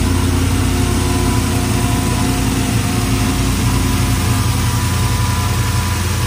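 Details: 1968 Suburban with 5.3 LS V8 swap after cam sensor, wiring harness and loose ground fixes: steady, deep, even idle with no misses, knocks or ticks; running great.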